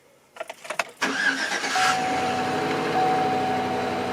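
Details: 2013 Chevy Silverado after battery cables removed and refitted on its 700 cold-cranking-amp battery: a few short cranks, fires and settles to steady idle with no stumbling; now starts normally, cause unknown.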